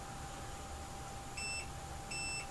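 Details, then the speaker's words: iPhone 7 with error 4013, multimeter in continuity mode: two steady, high-pitched quarter-second beeps showing LDO9 and LDO3 shorted to ground (diode mode read 0.003). Removing the WTR4905 later cleared the LDO9 short. "you can hear L do nine and L do three are short"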